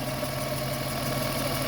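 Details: 1997 Lexus ES 300 with hard-start and idle issues, after reassembly: a steady, smooth idle hum with a low even tone and no hunting; normal idle.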